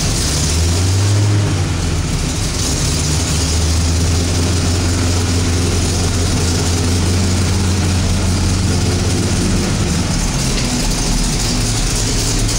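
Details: Freshly rebuilt 1969 Pontiac Ram Air IV GTO Judge engine, built to factory specs with a balanced bottom end, first start on a rolling chassis with a 2.5-inch X-pipe exhaust: it fires and settles into a deep, even, lumpy idle with no knocks or ticks.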